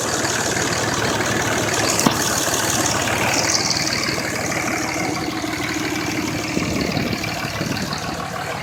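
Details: 2005 Dodge Cummins diesel at idle blowing white and black smoke: rough, uneven loping beat about three per second, a misfire from a cracked injector leaking fuel into the oil.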